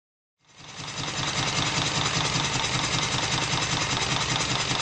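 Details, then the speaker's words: Stuart triple-expansion model steam engine on live steam, cylinders still hot from the previous run: steady rapid clicking about 2.5 per second over an even hiss, from the vacuum pump and water pump; normal pump clicking. "The strange clicking noises that you can hear are from the vacuum pump and the water pump."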